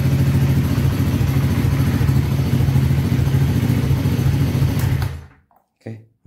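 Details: Honda Beat ESP that died completely, running after a faulty ground signal to the relay was bypassed with a jumper and the engine was kick-started: even, steady low putter with no misses or knocks, then switched off; normal idle.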